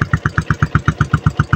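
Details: Yamaha Sniper 135 after starter push-button bypassed and brake light fixed: even steady single-cylinder thump at about eight beats a second, no misses or rattles; healthy idle.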